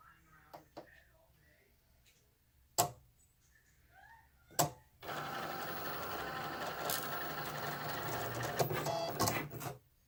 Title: Cricut Explore 2 grinding sound